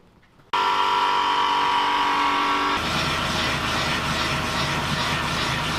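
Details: Toyota Sienna/RAV4 AWD with wheels off the ground, in drive, after replacing the rear viscous coupler bearing with a genuine Toyota part: even engine and driveline whir, no growl or rumble rising with speed; driveline now healthy.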